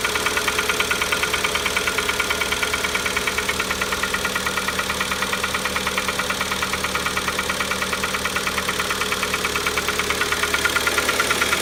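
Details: Kia Optima right after startup: sharp, even tick-knock near twice a second, steady throughout; internal engine knock, ultimately resolved by warranty engine replacement.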